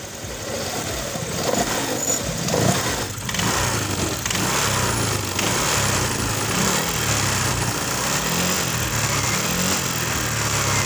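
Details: Honda Vario 125 (KZR) fuel-injected scooter after engine rebuild for hard starting and no idle: catches and settles into a steady, even idle with no knocks or misses; normal.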